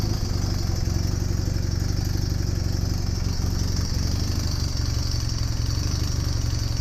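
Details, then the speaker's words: Honda Superdream (Hawk) twin project bike, rebuilt engine started on its own battery, charging confirmed, airbox not fitted: even low throbbing idle with open breathy intake note; owner expects better sound and running once the airbox is attached. "i'm sure it'll sound better and run better when it's got its air box attached"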